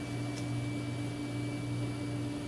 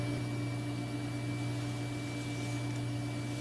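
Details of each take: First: Oh, wonderful. The fan in the power supply is making like a rattly sound now. That just started. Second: Digital picture frame computer running Windows XP, power supply fan after acclimating to a cold house: steady low hum with faint constant tone, no rattle or ticking; earlier fan noise gone, running smooth.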